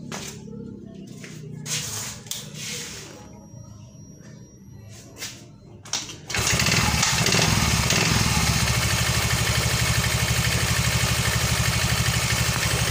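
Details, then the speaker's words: Yamaha Fino scooter after repairing a burnt stator charging wire behind a 46-blink indicator code, and fitting a new spark plug after weak spark and stalling: engine catches and settles into a steady, even beat about three pulses a second; running healthy. "Kita udah cek businya teman-teman ya kita udah ganti businya juga dan ini sudah hidup kita hidupkan teman-temannya untuk hasilnya"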